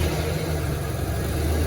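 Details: 1994 Ford Ranger after clutch, flywheel and throttle cable replacement: low, even idle rumble with no hunting; slightly raising the throttle makes it idle better, so the new throttle cable needs further adjustment.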